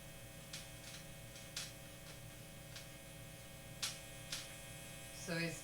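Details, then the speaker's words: Guitar with a bad hum being rewired: steady low electrical hum with a few light clicks from handling; owner suspects a ground loop or missing grounds picking up noise, not confirmed. "somehow magnets how do they work it does all of that and what happens and what happens is yeah you get that hum"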